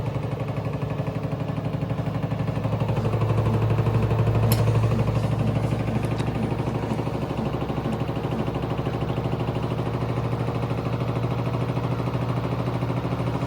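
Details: LG 7 kg front-load washer with the front removed and the drum loaded with wet clothes: steady low hum with rhythmic thumping about three beats a second during spin; heavy vibration and noise from inside the drum.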